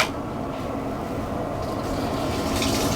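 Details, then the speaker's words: 2022 Airstream Interstate 19 water pump tested via newly installed on/off switch: steady pump hum under rushing tap water, no cycling or rattle; water pump works normally. "Now we have to try to see if the water pump works."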